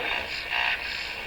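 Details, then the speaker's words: Rogers 11RA651 shortwave radio on the AM band after SW alignment: hissy static with a pulsing, buzzy surge about half a second long. The source of the interference is unknown, possibly something in the shop. "Just by the way, that sound there, boy, that really sounds like something I used to hear on shortwave. That noise, I don't know what that is,"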